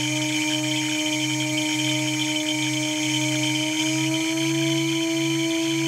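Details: Water-cooled 2.2 kW CNC spindle under warranty runs with a steady high whine and pulsing chirps and squeals about once or twice a second. The owner suspects bad bearings.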